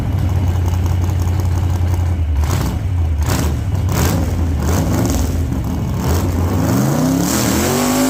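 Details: 1948 Chevy Fleetline small-block Chevy V8, 4-speed, open headers, test burnout after repair for pushrods breaking on first burnouts: burble then hard revs with pitch rising cleanly, no knock or clatter; valvetrain sounds healthy, normal.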